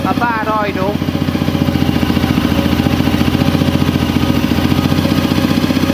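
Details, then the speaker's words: A warm Honda CRF250L single-cylinder, after replacing ECU-indicated faulty parts, idles fast at about four beats a second. The idle is uneven and hunting on its own, and it still blows smoke. "it's a lot better than it was but it's still not right no it's still not right oh it's going off on its own"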